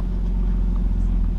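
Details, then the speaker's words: BMW E46 drift project car restarted after sitting three months; oil poured into cylinders leaves slight blue smoke from the exhaust dump. Low, steady, even idle with no knocks, misses or hunting: smooth, healthy idle. "but sounds good idling smooth you can see with the exhaust dump that I have on the car"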